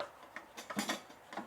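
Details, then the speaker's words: BougeRV portable propane water heater, new out of the box, being moved: light irregular clicks and taps as something loose rattles inside the casing; source unknown. "you can hear something rattling around in there and those look like louvers to keep it the wind from flaming it out"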